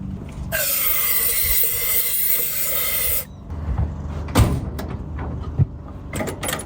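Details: 1952 Chevrolet Bel Air 235 six, sat about 3 years, new carburetor fitted, earlier no spark: steady whirring crank for about three seconds with no firing, then silence; turns over but won't start.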